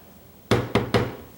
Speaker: Here how that one's hitting like that, and it's even got the little bumper on there, but the bumper's smashed on there so much, and it just takes a little bit of a clearance to hit.